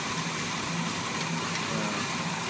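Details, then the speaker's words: 1981 Chevy K10 V8 with a junkyard Quadrajet and new valve seals, still slightly cold: steady soft idle with an even low rumble and no misses; runs great but still a little rich, mixture needs adjusting. "Runs great. It's still a little rich, so I'm gonna have to adjust the mixture on it."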